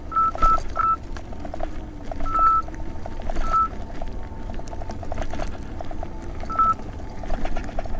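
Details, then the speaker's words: 84 V Nikola electric unicycle climbing steep hill, about 40-42 degrees, low-70s weather: scattered bursts of short high beeps over quiet motor hum; overcurrent amp alarm, shortly before the wheel failed with blown MOSFETs. "listen for the amp alarms and now I'll read off the temperature"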